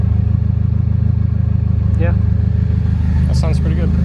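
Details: 1991 Eclipse GSX during idle speed (ISC) adjustment before base timing check: low, even idle rumble settled around 680-700 rpm after adjusting down from about 850, no misses or hunting. Normal idle.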